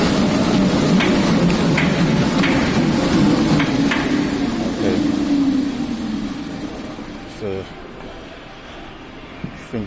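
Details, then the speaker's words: Woodway Curve non-powered treadmill, knocking and banging when run on: rumble underfoot with sharp knocks a few times a second; belt possibly too loose, scores found on an overlong screw rubbing the belt. "now the problem with this is that when you're running on it it makes a locking noise banging noise"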